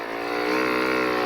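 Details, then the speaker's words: Snowbike quick test ride on soft snow and ice: engine revs climb and hang high in a steady buzz, wheel spinning out, suggesting clutch slipping under throttle; owner not fully convinced it's the clutch, may be rekluse out of adjustment; new clutch discs ordered. "well it's spinning out on that ice not feeling right all right good thing I ordered up some new discs"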